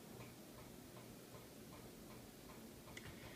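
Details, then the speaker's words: Harbor Breeze Crosswinds ceiling fan running on high with a pretty bad wobble: a quiet, steady tick repeats about three times a second. "obbling fan are you ready this is a pretty bad wobbler but it's still safe enough to be used on the ceiling"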